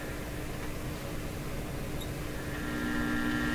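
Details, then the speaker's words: Conar Signal Tracer Model 230 (kit-built) speaker with short probe lead: buzzy higher hum over a lower warmer hum, both varying with volume and remaining with input grounded; mains hum, probably power supply hum, not confirmed. "So we hear a hum coming from it. Now that hum is either, this is a short length here. This is just picking stuff up here in my shop, and we can never escape it. I hear two hums. I hear kind of a buzzy hum, and then I hear a lower, warmer hum."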